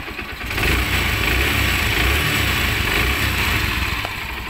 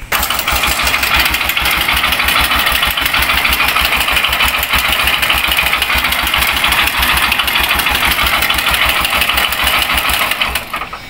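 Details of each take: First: Honda CB125 single-cylinder engine after a rebuild with a new connecting rod and timing chain (previously noisy from a worn roller, loose timing chain and a failed con rod): it starts and settles into a steady, even idle with no knock or rattle. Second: Honda CB125 single idling with a loud metallic clatter over a steady low thump, then shutting off; worn timing chain roller and loose light timing chain slapping, plus a failed connecting rod; engine to be opened.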